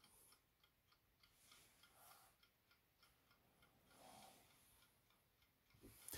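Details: Advance bedside alarm clock with balance wheel and hairspring, originally running too slow, after full cleaning and hairspring adjustment, now keeping time after about fourteen hours: quick, crisp, evenly spaced ticks, about three to four a second, no skipped beats; normal running.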